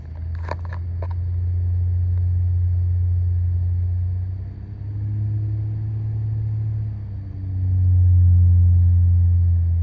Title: Droning noise 2015 Honda Accord V6 AT